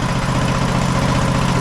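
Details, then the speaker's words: 2008 Husqvarna LTH1538 lawn tractor idling with a safety-interlock piece removed: steady, even single-cylinder thrum with no stumbling. Idle seems okay, but it might still need a carb clean. "engine seems like it idles okay might need a carb clean to deal with that"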